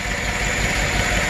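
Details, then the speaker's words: Truck V8 with AFM/DOD lifters, engine run with rocker cover off: uneven stumbling idle with a dropped cylinder; cylinder three intake rocker not moving, collapsed intake lifter causing the misfire. "that would be the intake lifter on cylinder three it's dead so that's the source of the misfire and that's the collapse lifter"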